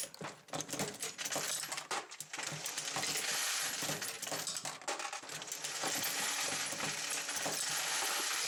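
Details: Dillon XL750 progressive press reloading 9mm Luger with case feeder, no bullet feeder: irregular metallic clinks and rattles, about two or three a second, as cases drop and the press cycles smoothly; normal.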